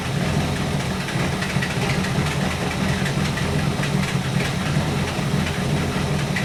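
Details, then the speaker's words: 1964 Buick Electra 225 401 Nailhead V8, warmed up, idling after Carter AFB rebuild; lumpy beat with occasional irregular pops as dwell drops. Intermittent misfire, ignition suspected, unconfirmed. "When she kicks, the dwell is dropping. So when it's behaving pretty good now that it warmed up, but every now and then it starts to drop out."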